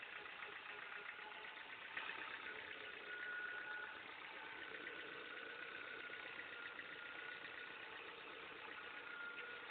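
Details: Ford Fiesta Mk5 at idle: a fast, uneven ticking rattle from around the power steering pump or crankshaft pulley, with a burning smell noted. Source suspected, not confirmed.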